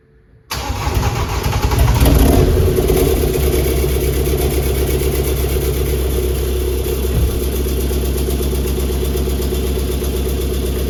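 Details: Flooded BMW F20 diesel, first start after rebuilding an engine with a crushed connecting rod and no compression, fuel primed via the injector ports, intercooler and DPF not connected: catches quickly, revs briefly, then settles into a steady, even idle with no knocks or misses.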